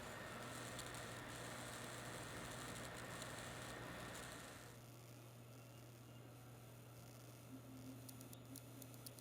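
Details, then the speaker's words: Kaby Lake Dell XPS 13 laptop: thin high tone and fizzing, crackly chirps over a low hum, coil whine from vibrating power-delivery inductors on the board. "that you just heard is coil wine it involves literal components on the board namely inductors which oversee current regulation at certain power delivery levels"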